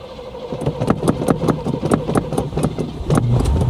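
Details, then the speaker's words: Car cuts out and dies once getting up to speed. Even cranking at about five beats a second, then it catches into a rough idle. Owner suspects a fuel problem, possibly the carburetor or fuel pump. "Boy, it seems like a fuel problem to me. And then she's ready to go again. You just once you start getting up to speed, it cuts out and dies."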